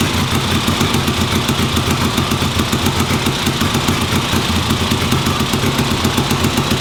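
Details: 1958 Ariel Huntmaster 650 twin motorcycle, run on the bench after recent purchase: even, quick-firing beat holding a steady idle with no misses or knocks; running cleanly.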